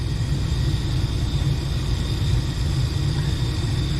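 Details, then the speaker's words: Furnace that would not stay on: steady low burner roar with no blower air rush, then the system cuts off because the seized blower motor never starts; blower motor replaced; blower motor not starting (seized). "Yep, see it cut off because that blower won't come on. Yep. Yeah, that blower motor's fried. It's gonna have to be replaced."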